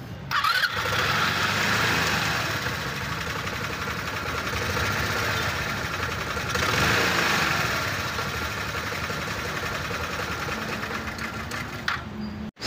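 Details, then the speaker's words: Rusi 125 scooter fitted with an MEO sporty pulley set: it catches and settles into an even, quiet idle with no knocks, rattles or grinding from the belt drive. "Kasi malakas kumain ng pulley kapag maluwag na yan, fix siya tahimik na ang andar niya."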